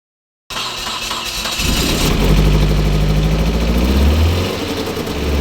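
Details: Mazda Demio hard start: cranking chatters for a second or so before the engine catches, flares and settles to a lumpy idle; slow to start.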